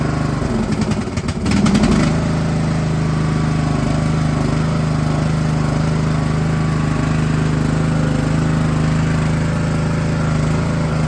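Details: Filthy lawn tractor started with choke on right after a new battery was fitted: a brief crank, then the engine catches and settles into a steady, even idle with no misses or knocks; it starts and runs normally.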